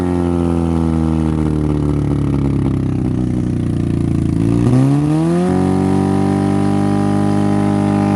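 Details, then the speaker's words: Derby-damaged Honda Civic, timing and plug order checked, concrete mix fed in to kill engine: holds steady rev, then sags and bogs briefly before settling lower; owner suspects lost compression, unsure. "oh that's so disappointing it didn't I don't think it likes the concrete mix too much it might be killing compression but I'm not sure"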